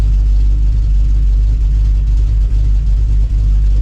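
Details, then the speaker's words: Cammed 5.9L Magnum V8 Dodge Dakota R/T idling after cam swap, electrical fixes, distributor/timing set and fuel sync done; deep steady V8 idle with slight cam lope, running evenly and pretty good, though an exhaust leak remains to be fixed. "sounds pretty good right now as far as how she's running I do have an exhaust leak which we have to fix some point"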